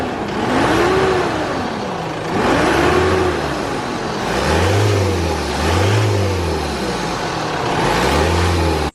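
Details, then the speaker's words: Isuzu D-Max, intake hose and airbox still fitted, throttle blips: a gushing whoosh swelling and falling with revs, heard from the upper hose/turbo section, not lower down. Owner suspects the hose or turbo; not confirmed. "it's just making that like gushing noise it's definitely coming from like this section not from that half down because i can hear it up in there so something to do with this hose here or that turbo"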